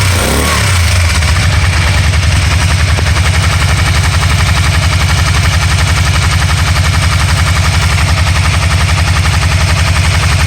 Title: 2012 can am spyder rtl 990 misfire